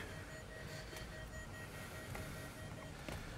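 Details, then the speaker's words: 2014 Range Rover with intermittent start-stall and no-crank, key on with restraint control module disconnected; rapid, steady high-pitched warning beeping, several per second, not heard before. "and we got some rapid beeping which didn't happen before"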